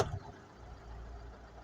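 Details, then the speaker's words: Mercedes Sprinter 311 LWB (2007, 57 plate), 247,000 on the clock, after fixing injector "black death" blamed for dash warnings and a glow plug light. Quiet, steady, low diesel idle with no knocks or misses; it runs smoothly and the glow plug light is off. "oh that sounds all right you know that sounds that sounds fine let's have a look double check now Grand she's running nice running like a dream"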